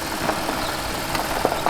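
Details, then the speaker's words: Audi A8 D3 V8 after rebuild of a failed head with bent valves and broken tensioners: smooth, even idle with only a light injector tick, no knocking or rattling; engine now runs healthy. "пробуем ещё ребята идеально работает машина не прокачался простой все швейцария работает мотор слышно только как форсунка щелкает на камеру"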